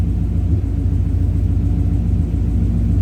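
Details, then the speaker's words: 1965 V8 with check engine light code P0352, chilly day: low lumpy idle with uneven pulse, like one cylinder blowing air through the exhaust each revolution; intermittent misfire suspected, cause not confirmed. "like it just sounds like it basically sounds like a cylinder that just blows air every revolution, where it's like, you know, I don't know the best way to make it noise, but you know, instead of it going la la la la la la la, it's like la la la, and it's just that compressed air coming through the exhaust every RPM."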